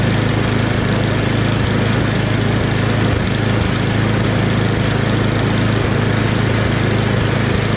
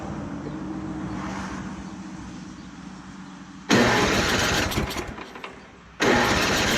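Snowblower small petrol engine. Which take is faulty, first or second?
second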